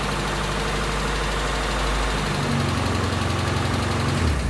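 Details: Toyota Tercel with a freshly reinstalled 3A-C engine on its third start attempt, after the fuel lines were connected. It is flooded: rough, uneven running that struggles, then climbs in revs once the choke is shut off and gas given.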